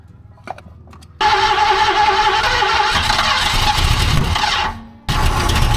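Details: 1970 Ford Mustang Fastback, V8 sitting 20 years, first start: cranks and catches, then runs lumpy and uneven, nearly dying; sounds like firing on half its cylinders and flooding itself, misfire.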